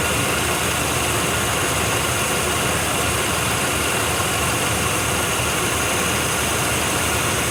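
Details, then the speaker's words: 1993 Chevy 1500 small block, first run after sitting 16 years with new battery, running on its own fuel pump: steady, even idle with a constant hiss, no knocks, ticking or smoke at that moment; running healthy. "It's not smoking anymore. No smoking. No knocks, no dings, no loud noises from the end."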